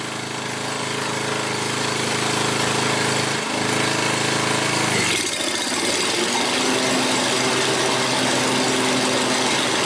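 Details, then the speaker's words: 7-year-old Craftsman 28-inch walk-behind, left out for over a year, after repair and warming up at 3240 RPM: steady even engine drone at constant high speed with a slight pitch change midway; runs smoothly, no misses or knocks. "3240, that's a good RPM. It sounds good."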